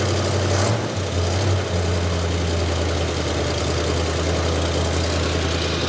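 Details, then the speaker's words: 1965 Dodge Dart 318 V8 four-speed, cold, running from a fuel jug: low idle that dips and sags, then holds unevenly as it runs out of fuel; fuel starvation stumble. "oh I think it's about out of fuel maybe there yeah it's running out of fuel"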